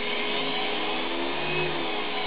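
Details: Central Machinery mini mill with CNC Fusion ballscrew conversion and 4200 rpm belt-drive upgrade (replacing plastic geartrain), spindle run after teardown and repaint: steady, even motor hum with constant pitch, no knocks or grinding; spindle runs smoothly and sounds healthy.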